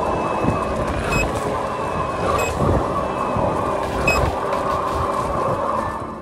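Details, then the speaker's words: Veteran Sherman-S electric unicycle pushed hard at around 40–50 km/h: three short high beeps about every 1.5 seconds over wind and motor whir; overpower warning, wheel may tilt back to force slowing. "if you really push it at around 40 or 50 km an hour you will hear beeps that you know mean that the wheel is overpowering a little"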